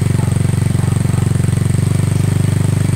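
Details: Yamaha Mio scooter that ran but would not move because of a local (non-genuine) drive belt, after the belt was fixed and the side cover cleaned: low even putter about four beats a second, no knocks or slipping; engine and belt drive run smoothly.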